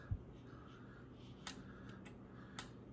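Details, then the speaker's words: Drake T4XB transmitter powered on the bench after repairs to a resistor fire and solder shorts, with some tubes still missing. Three crisp clicks about half a second apart over a low hum as it is tuned; the relays pull in normally. "clicking here. So that's a good sign. And if I go to tune, I hear it clicking. So it seems like this thing's sort of there."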